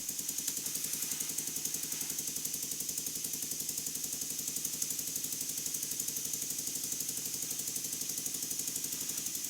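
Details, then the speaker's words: Burnac Vulcan toy steam engine, oiled and run on compressed air at about 10–15 psi with advanced port timing: quiet, light, even ticking about four beats a second, no knocks; runs smoothly. "I really couldn't believe this no trickery here just listen to it it's hardly making any noise the timing is quite Advanced on the cylinder porting and it runs really well"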